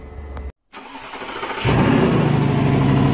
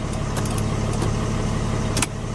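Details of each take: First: Mercedes W211 that had sat a long time, with no scanner communication and the CAN bus reading under 30 ohms (shorted): steady, even cranking at about four beats a second for several seconds, never catching. No-start due to the CAN bus fault. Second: Mercedes W211 that cranked but wouldn't start and had no scanner communication, after repairing a CAN-bus cable fault: steady, even diesel idle with smooth low rumble, no misses or knocks; ignition, signals and A/C now working normally.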